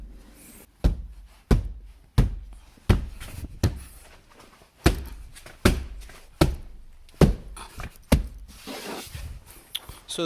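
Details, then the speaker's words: 2014 Jeep Grand Cherokee WK2 diesel, about 50,000 miles, front door after sound deadening (Noico, 5 mm closed-cell foam decoupler, Tesa tape): deep dull thuds knocking on the panel, then a firm shut; solid, well damped, no rattle. "so if I hit it here I still hear something sharper but it does shut pretty well okay I hear the same thing on this side so that's good"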